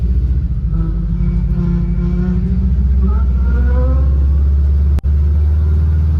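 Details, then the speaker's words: 1974 VW bus with Subaru 4EAT and chain-drive reversal kit, driving: deep rumble with faint rising-and-falling whine following road speed; transmission singing, maker attributes whine to gear tooth profile on the two large sprockets. "See, hear anything? That's that transmission singing."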